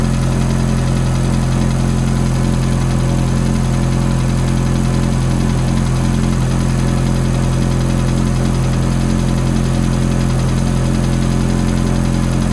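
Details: Ferrari F430 V8 at cold start: deep, steady idle with a faint regular tick near 160 per minute over it; ticking noise, cause unclear.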